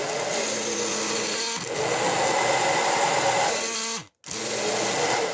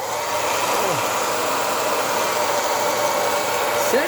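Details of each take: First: Hair dryer still heating fine but running with a loud, strained, droning motor roar; suspected motor catching on something such as the fan or dirt, found to be hair wound on the fan shaft making it drag. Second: Hair dryer after disassembly, cleaning and reassembly for a strange noise, heat and cold button working: steady even air rush over constant motor whir with no scraping or rattling; running normally.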